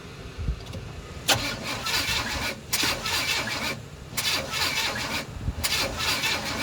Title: Crank no start 2